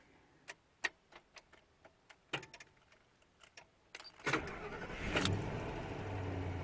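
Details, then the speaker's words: 2000 Ford F-250 5.4L, first cold start at about 40°F at night after a new starter motor was fitted: a solenoid clunk, a brief crank, then the engine catches quickly and runs evenly. "First thing you'll hear is the clunk of a solenoid for the truck camper power line. And then you'll hear the starting motor crank."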